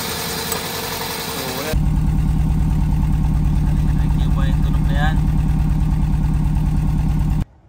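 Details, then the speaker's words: 2006 Toyota Corolla idling rough, idle dropping and engine shaking as if stalling when driving or accelerating: lumpy, uneven thumping about three beats a second; misfire from a failed ignition coil. "Paano nga ba i-diagnose yung mga ganitong issue o problema kag magse ka or magda-drive bumabagsak ang Menor at nanginginig yung makina na Para bang mamamatay"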